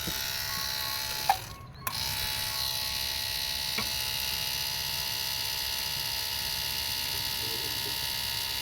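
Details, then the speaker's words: 2008 Mitsubishi Pajero 4M41 turbo diesel with loss of brake assist: key on, hydraulic brake booster pump gives steady high electric whine, briefly pausing, as accumulator shakes and pressure builds; buzzer stops, normal priming after repair. "it's priming you can see it's shaking every time the pump goes on and off watch that my buzzer is off now that's a good sign"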